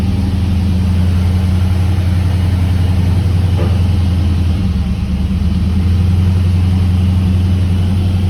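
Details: 1979 Camaro Z28 with a McLeod Super Street Pro clutch, whose random noises with the pedal pressed were traced to a greased pilot bearing: steady, smooth low idle with no chatter or rattle from the clutch area; normal clutch idle.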